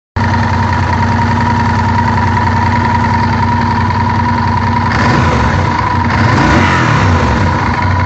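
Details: Honda VTR1000F V-twin idling with a dull mechanical knock that gets busier when revved about five seconds in; worn cam chain tensioners, knock cured in 2014 by replacing the tensioners.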